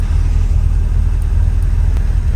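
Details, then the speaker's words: Car with remanufactured original Quadrajet 1708 carburetor, restarted warm at about 190°F after the choke cover was reinstalled, mic not on the person: deep, even V8 rumble, no stumble, hunting or misses; running really well. "I don't have the microphone with me but uh yeah running really really well"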